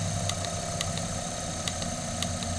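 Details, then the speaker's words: Arduino-controlled window motor project running about 2,160 RPM: sharp paired ticks over low hum at uneven gaps, slowing when scrolling the LCD display as the controller stops firing/triggering, then catching up; motor slowing from controller lag. "you can hear the motor slow down when I scroll through the display it stops doing anything else on the uh motor firing and triggering"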